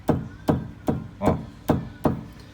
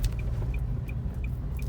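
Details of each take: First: 2017 Nissan Kicks with suspension/steering noise: six firm strikes on the steering rack ring hollow and resonant instead of dry and solid, as if the rack is loose; play in the steering rack, a chronic fault on early Kicks. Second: 2017 Nissan Kicks test drive after replacing the steering box with a new original part, fixing the suspension/steering noise: only steady road rumble, no clunks or knocks; normal steering and suspension.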